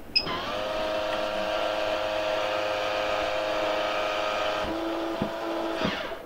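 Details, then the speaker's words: MaxxAir MaxxFan 4500K RV roof vent after replacing the clicking lid operator mechanism (MA10-20281K): steady motor whir for about five seconds as the lid closes with cover on, stopping cleanly with no clicking; operator working properly. "now we'll open the lid with the max to cover on well that was pretty smooth now close the lid with the max2 cover on"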